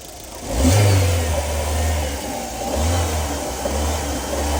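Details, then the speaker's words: Volkswagen EA111 Power 1.0 or 1.6 engine (Gol, Fox, Saveiro and others): the engine revs up and holds with a deep, dull punch-like thudding that swells with revs, pointing to a knocking main bearing. "tá vendo tipo um soco ó aí no caso agora nós vamos remover essa Correia e vamos ver se o barulho vai subir"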